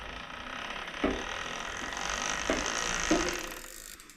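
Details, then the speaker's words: Bicycle drivetrain spinning with a whir and sharp ticks where the chain rubs against the Chinese derailleur at one spot; adjusting the derailleur removed the noise. "Звукът, който чувате, е от ето тая машинка тука, понеже е китайска и опира ето точно ето тук. Веригата опира в нея."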